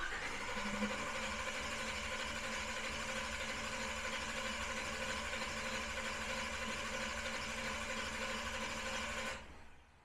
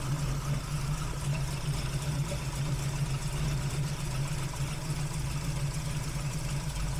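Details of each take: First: Big-block Camaro during a Killshot II throttle body and Command Center 2 fuel system install, initial startup with no fuel delivered yet: steady fast whirring crank at about three turns a second with no firing, then stops; dry crank, owner wary of overheating the starter. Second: Big-block V8 with a big cam on its first start after Killshot II EFI install: deep, choppy, steady lumpy idle with little vacuum, 58 psi fuel pressure, temperatures good, no fuel leaks; already healthier, a normal lumpy idle.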